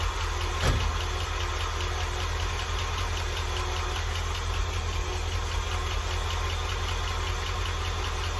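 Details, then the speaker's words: Old International truck engine at low idle, cover off: faint light ticking/clatter, heard toward the right side and down low; owner suspects one lifter, possibly collapsed, unconfirmed; number eight plug also suspect. Ticking/clattering noise. "hear that tick and I gotta fix that I've got that one lifter you're saying about yeah I guess it's just one"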